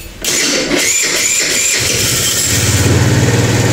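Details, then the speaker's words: Kuba Valentino 50cc scooter after engine rebuild for strange internal noises and speed dropping to 50-60 km/h; starts on first press, quick even putter with no odd rattles. Normal idle. "bakın ne ses var ne Seda var çiçek gibi Tek marşta çalıştı gördünüz"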